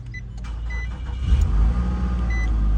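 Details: 2009 Nissan Altima, previously no crank no start from faulty steering lock/ignition switch, after switch repair: short crank then the engine catches and settles into a steady low idle; normal start.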